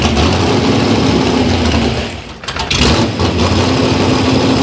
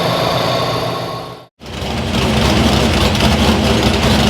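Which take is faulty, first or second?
first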